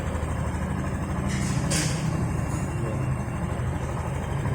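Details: 2020 automatic scooter with its CVT reassembled after a fix for rough 'ngorok' noise, inside now smooth: a low, even rumble with no grinding or rattle, just a short hiss. The belt drive runs smooth.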